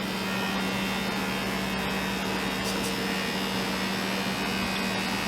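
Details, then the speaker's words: FoodSaver handheld cordless vacuum sealer on a mason jar attachment, vacuum packing freeze-dried parsley: steady buzzing motor hum with fixed low tone, no grinding or stutter; pulling vacuum normally. "This will automatically pull that air right out of there and create a vacuum for us."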